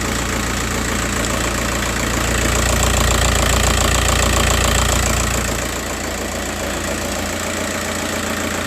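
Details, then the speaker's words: Cold first-morning diesel idle after a service, uneven and stumbling about three times a second, the note changing. The oscilloscope on pin 7 shows the injector #3 signal intermittently absent with a good shape. One cylinder drops out: injector 3 misfire. "Okay. Uh as right now injector number three is misfiring and as you can see uh sometime the signal there is no signal. Look and you you may hear the sound of the engine is changing when there is no signal appearing here."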